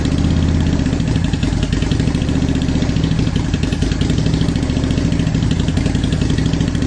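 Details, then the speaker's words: 2010 Honda Shadow Phantom V-twin after gas tank clean-out for fuel issues: low, loping, fairly even idle beat with no misses; steady idle, revs better than before. "there we go now we got kind of a steady idle going so i think that sounds a lot better it revved a lot better"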